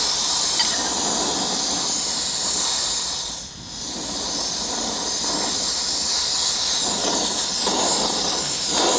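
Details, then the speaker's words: Portable gas stove in windscreen kit, about two and a half minutes into cooking: loud roaring hiss that dips and swells with uneven puffs; burner flame surging, owner suspects too hot, valve opened too far or poor air mixture. "I hear the stove it keeps surging like it's getting too hot under there or something or the the air mixture ain't enough or something"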